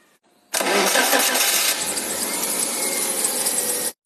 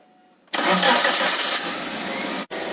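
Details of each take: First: Wuling car engine idling after start with a harsh, hissy whirring over the running note; source found to be the water pump, worn from normal use; noise gone after replacing it. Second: Engine cranks, starts at once and idles evenly with no knocks or whine after draining coolant, removing belts, and replacing a water pump that was noisy from normal wear; noise now eliminated.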